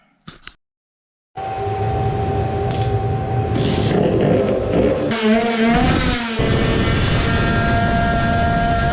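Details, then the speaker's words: Two-stroke moped on a dyno testing a new high-power exhaust pipe: steady drone under load, then the revs suddenly flare upward when the malfunctioning dyno cuts out and drops the load; the dyno fault's cause is unknown. "now the dyno has started to work pretty bad. on almost every pull it cuts out sometimes it completely stops. you can hear when the moped revs up when the load is removed"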